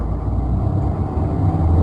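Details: Renault Sandero driven over speed bumps after repairing the rear noise and a leaking part: only low, even road rumble, no clunks or knocks from the rear; problem solved.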